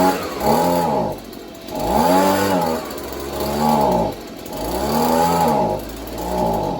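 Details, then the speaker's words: Neighbor's free Stihl two-stroke leaf blower: it runs only with the choke on and surges up and down about every 1.5 seconds, never settling. Off choke it dies, as if starving for fuel, though the cause is unconfirmed; the engine itself seems fine. "so we know the engine itself should be fine being that it runs generally when you put the choke on"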